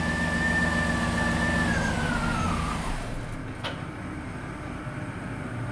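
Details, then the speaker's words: 2007 GMC Yukon Denali 6.2L V8 idling while the fuel pump relay is pulled to depressurize the fuel rails before injector service: whining note sags and engine dies almost instantly; fuel-cut stall. "and it pretty much instantly died all right and i just went ahead and tried to turn it on a couple more times and uh that way uh we would for sure get all the fuel out of the lines"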